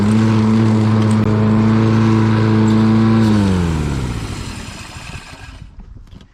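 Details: Lawn Boy all-wheel-drive mower with Kohler engine, cutting grass: steady, even drone under load without surging or missing, then switched off and winds down smoothly; normal running.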